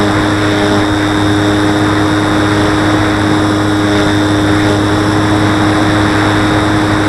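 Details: Model plane in flight: steady propeller drone with buzzing edge when climbing or hard banking, like elastic bands vibrating; owner suspects wing lifting from fuselage, wings not visibly flexing; source unconfirmed.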